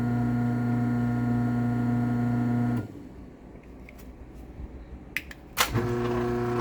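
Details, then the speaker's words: LiftMaster 8365W-267 Wi-Fi garage door opener, May 2019, dumpster find with a past wiring issue: even motor hum through the run, clean stop, a couple of clicks, smooth restart; fairly quiet, operating normally. "we'll go ahead and run the 8365w um this one actually isn't too loud"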